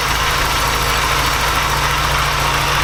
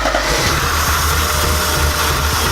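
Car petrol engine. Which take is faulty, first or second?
second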